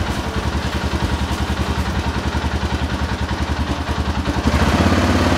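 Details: 2007 Arctic Cat 650 H1 ATV after replacing the front 4x4 actuator: steady idle thump about three and a half beats a second, and the tone shifts as the drive engages cleanly. Repair successful.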